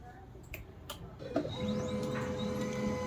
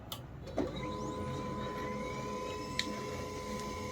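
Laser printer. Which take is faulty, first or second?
second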